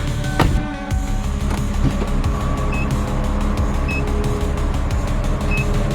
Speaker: Oh, it's beeping properly, too. Hear that?